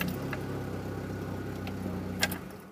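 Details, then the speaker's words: Chevy C1 TBI that would not start, after the timing belt: the engine catches and holds a low, even idle without stumbling; it starts fine. "después de la banda de distribución ahí vamos a ver como el carro prende sin problemas"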